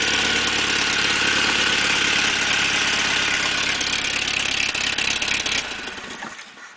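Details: 1986 Toyota 22R carbureted four-cylinder, sat two days in cold and rain, belt-driving a water pump with open dual exhaust: catches quickly, steady even idle, clean rhythm, no knocks or misses, then shuts off; healthy cold start (owner suspects head gasket, water in oil).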